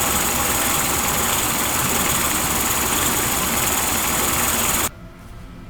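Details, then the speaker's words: Yamaha 40 hp two-stroke oil-injected outboard, after a carburetor cleaning; it started on the first pull, smoky from oil-filled cylinders. Fast, steady buzzing idle at about four beats per second, holding even until shut off. Normal idle. "the letter run here for a bit sounds really good though if p.m. good starting to burn out"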